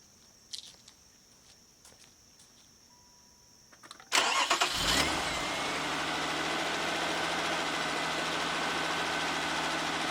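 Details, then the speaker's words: 1994 Ford Probe GT, cold engine just started, oil pressure gauge hooked up reading a little over 60 psi; starter cranks briefly, engine catches and settles into a steady, slightly high idle with an even hum; normal cold fast idle. "Right now I'm reading about 60, a little bit over 60 pounds. It says cold. Just started, still a little high idle."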